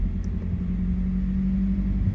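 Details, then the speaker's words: 2012 Mazda 3 Skyactiv 2.0 at idle: holds a steady, slightly raised hum without settling down; car started revving high with cause unknown, owner hopes spark plugs fix it and plans to check vacuum lines. "um the car started revving high when i entered it so i did not know what it could be but um yeah i'm going to figure it"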